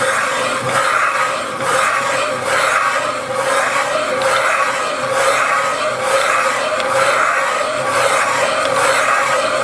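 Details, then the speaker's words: Cylinder head cooled to room temperature, Rossi & Kramer seat-cutting machine on the large intake valve seats, cutter lowered about 0.04–0.05 mm: steady high scraping ring swelling about once a second as the cutter turns, even and chatter-free, a clean seat cut. "Ну, слышно, что уже прирезка идет отличная. Так, и прирезал я всего лишь, пустил на 4 сотки."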